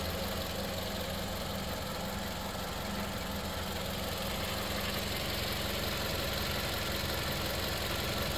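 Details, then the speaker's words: 2013 Toyota Camry running 5W30 oil, no leaks or oil consumption, idling: quiet, smooth, even hum with no ticks, misses or shake; healthy idle. "The motor's running. And this is a 2013 Camry. '13, she's still clean. She's idling smooth."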